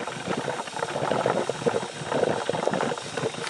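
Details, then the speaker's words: 1990 BMW E30 325i M20 overheating despite new water pump, fan clutch and thermostat, engine just shut off: irregular bubbling, boiling coolant and steam from thermostat housing bleeder; suspected head gasket, cracked head or block. No water in oil. "you hear the steam coming out of the thermostat housing bleeder valve"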